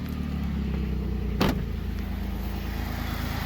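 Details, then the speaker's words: 2007 Jeep Liberty 3.7L, customer complaint of stalling and not running; after repair it starts and idles fairly evenly with a steady low throb and one brief click, running better but not perfect; snorkel off and breather tube broken. "I'm thinking it's gonna run pretty smooth. We'll see what's up. And it's running better. It's not perfect."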